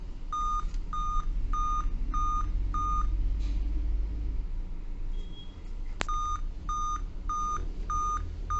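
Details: Dell Vostro 2520 (DV15 MLK MB 11280-1 board): a short tone near 1.2 kHz beeps five times, pauses, repeats continuously. Five-beep POST code for an RTC fault in the RTC section/PCH chipset; 3.2-3.3 V measured there.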